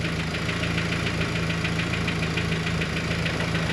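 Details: Cold idle after H22 lost motion actuators replaced (no help) and timing bolt slack removed: light even ticking three to four per second over smooth idle, quieter but still present; valvetrain ticking.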